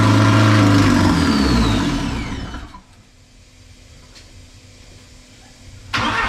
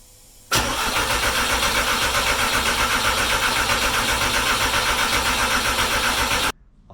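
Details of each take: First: Porsche 944 with 1.8T engine swap, first start on temporary wiring and fuel pump hookup; loud raw open-pipe roar holds about three to five seconds then dies; freshly swapped engine fires and runs on first start. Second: Porsche 944 with 1.8T engine swap, after first brief five-second run; starter cranks steadily about four turns a second for six seconds without catching; no spark and no injector activity, crank no-start.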